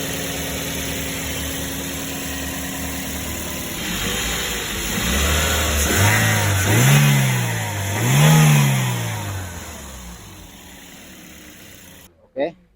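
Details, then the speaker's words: Toyota Vios/Yaris engine with the throttle blipped. A smooth idle rises cleanly through two quick revs and settles back evenly, with no knocks or rattles, described as the normal, typical Vios/Yaris engine sound. "nah jadi ini suara khas suara normalnya Toyota Vios Yaris dan e layaknya mesin-mesin yang lainnya ini adalah suara normalnya Vios normalnya Yaris dan mobil-mobil yang setara seperti itu"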